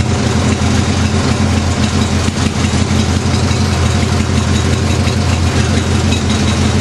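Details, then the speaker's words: Craftsman with 14 hp twin-cylinder Briggs engine: uneven, lumpy idle with stumbling beat, as if running on one cylinder, though spark checked good; owner suspects compression, rings or head gasket, unconfirmed. "is uh is not running right it's like it's like a sort of like a dead cylinder but it's actually still firing I checked the spark in it it's still firing but something just not right"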